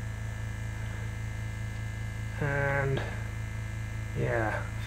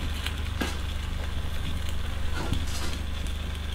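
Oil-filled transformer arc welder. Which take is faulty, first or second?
second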